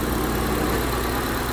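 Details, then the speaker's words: 2012 Honda CR-V 2.4 after replacing the alternator for bearing noise: steady, even idle with no whine or rumble from the front of the engine; normal quiet idle. "so there's the alternator back on and running and nice and quiet"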